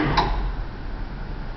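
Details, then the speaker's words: Single-phase pump motor rated 6.3 A: a single sharp tick over the low motor hum as the centrifugal start switch inside the motor disengages, alongside the contactor click. Normal switching, not a fault. "there's a pause there that's the start switch in the motor letting go that's the tick tick that I'm hearing yet one is the contactor and one is the motor kick so there's a mechanical switch inside that motor and it's a centripetal switch"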